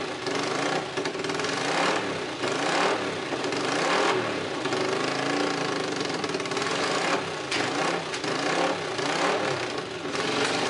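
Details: Honda CX500 twin, running without coolant or radiator, exhaust leaking at the head: settles into a steady beat and picks up cleanly on throttle blips, no knocks or rattles; engine runs.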